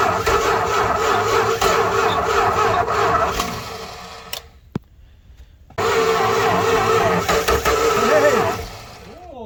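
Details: 1968 Dodge Charger sitting 40 years in a barn, first start attempt with fluid fed into the intake: starter cranks in a steady rapid rhythm, pauses, cranks again, almost catching but not firing.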